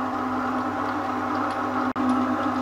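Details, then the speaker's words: Elliott 10M shaper run at top speed after idler repair: steady machine hum with a thin high squeak on top at constant speed; owner suspects the belt, not sure. "with that there's a bit of a squeaky noise I think that must be the belt not sure"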